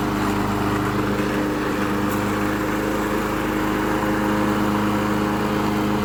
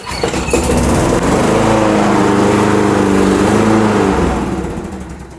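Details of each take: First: Late-80s/90s John Deere 14SZ mower, 5 hp, unrun 2 years, after carb cleaned, jets cleared and carb correctly reassembled: steady, even constant-pitch note for six seconds, then winds down and stops; runs clean, no misses. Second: Late-80s/90s John Deere 14SZ 21-inch self-propelled mower, 5 hp Briggs & Stratton, unrun 2–3 years, old oil: pull-start catches, putters about three seconds, then dies; owner thinks it needs carb work; starts then stalls.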